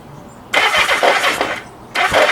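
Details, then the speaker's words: Kawasaki Z650B under restoration, not run for about 10 years, with a new ignition system: two harsh rattling grinding bursts as the starter spins the engine without a clean catch; worn starter clutch. "that noise is the starter clutch it's not very happy is it"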